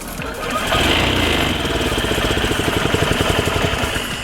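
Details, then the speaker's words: Met being started after carb, gas, throttle cable and fluid fixes: small single catches with a quick popping beat near four per second, pushing compressed air back out; owner fears a valve leak; air puffing back on start. "oh oh it's working it's definitely pushing compressed air back out hopefully that doesn't mean we have valve leak because if we do that definitely need a new valve head"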